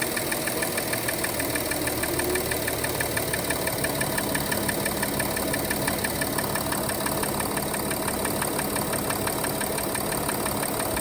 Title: Audi Q7 3.0TDI (180 kw) 2013 engine knocking (solved)